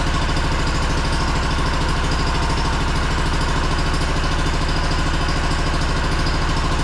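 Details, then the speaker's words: Two-cylinder Honda engine, sat in a shed for 10 years, fed gas from a squeeze jug because the dried-out diaphragm won't pump: steady, even putter at fast idle with regular firing and no knocks or misses. "nice smooth running engine actually for sitting for 10 years"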